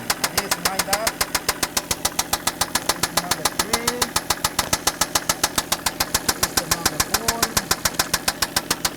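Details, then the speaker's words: Toyota Land Cruiser at idle, microphone on a screwdriver touching the engine block, gives a sharp, even metallic knock about 3.5 per second in time with idle; bottom-end knock, rod bearing suspected, not confirmed. "we're gonna touch the screwdriver against the engine while it's running and that'll transfer that noise up to the microphone let's see if that gives us any better indication where the noise is coming from"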